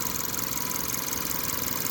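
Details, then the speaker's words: Seat Ibiza 1.2 petrol with poorly fitted turbocharger, unchanged oil and air filters: idle under a loud steady whooshing hiss of escaping pressurised air; boost leak, suspected at intercooler or throttle body, also seen on diagnostics, needs further investigation. "Also, we have a quite huge boost leak somewhere. We can hear it. We can hear it when we drive it. It's a whooshing, hissing noise."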